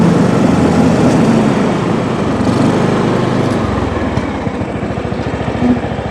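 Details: John Deere riding mower, Kohler Command engine, after fitting anti-backfire solenoid taken from new carb: even, steady single-cylinder thrum, no misses or surging; runs smoothly.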